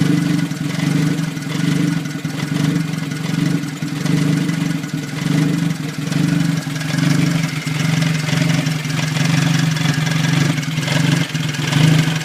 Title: 1989 toyota tercel 3e rough idle